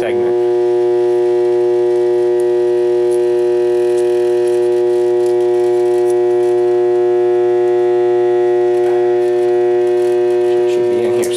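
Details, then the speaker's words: Armature from 3000 W DC generator on a growler: loud steady mains buzz with hacksaw blade chattering hard over one groove, indicating a shorted armature coil. "so there you go the short circuit is in that Groove somewhere"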